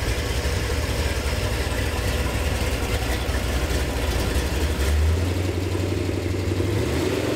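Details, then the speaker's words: Gen VI L29 454 big-block V8 on an engine stand, factory ZZ502 hydraulic roller cam cut on 110 LSA: deep loping idle with uneven choppy beat, then a brief rev rise; healthy engine. "It's a nice cam, and for a GM cam, it's cut on a 110, so you get a pretty decent lope to it."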